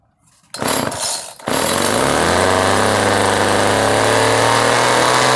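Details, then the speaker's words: Vintage Homelite edger, a free yard-sale find now fixed and running, with a governed engine: brief cranking, then it catches and settles into a steady, even buzz at constant governed speed without stumbling. It idles well and runs cleanly. "It idles good. It doesn't really rev up because it's governed, you know what I mean. But when you put it under stress, it comes back up. It runs good, to say the least."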